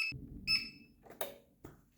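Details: APC Back-UPS Pro 550 (Power Saving) sounds two short high-pitched beeps about half a second apart after being unmuted, then handling clunks: the alarm reminding that the battery has failed, before the battery is replaced.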